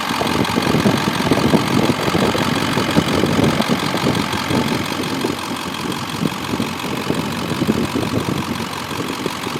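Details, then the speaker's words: 2002 Ford F250 with 7.3 L Powerstroke diesel, four-speed automatic, Banks exhaust, factory idle unmodified: even diesel idle clatter, about three beats a second, no skips or odd knocks; healthy. "I haven't really messed with it I like the factory idle on it so I haven't done anything there"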